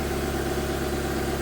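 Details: After cylinder head rebuild (new exhaust valves, reused head bolts torqued 22 ft-lb plus 260 degrees, about 110 ft-lb): smooth, even idle with no knocks, misses or wobble; running well.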